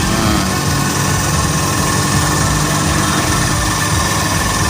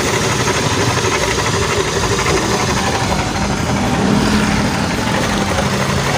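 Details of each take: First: Honda Beat automatic scooter after crankshaft bearing replacement, fan and housing not yet fitted: even steady smooth idle, low hum, no knocking or rattle; normal idle. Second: Honda Beat automatic scooter engine running rough at idle: busy uneven clatter, fast knock about four a second deep in the crankcase; damaged crankshaft bearing, caused by earlier oil starvation, to be replaced; crankshaft bearing knock.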